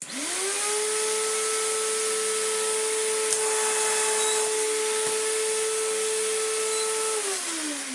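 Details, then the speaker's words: Electrolux Z1910 Self Propelled vacuum after restoration, tested on a rug: motor spins up to a steady, harsh strident whine then winds down; sounds terrible, rough motor, cause not confirmed. "Oh dear. Just sounds terrible."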